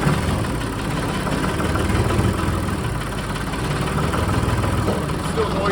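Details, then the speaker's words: John Deere 5045D tractor, about 10 years old, low hours, 54 hp 2.9 L diesel, just jump-started with Avapow pack after glow plug heating: low steady chug settling into even idle, no misses or knocks; runs fine. "sorry but I did not expect that to work whatsoever this thing definitely has some power that was very successful it was able to jump this tractor"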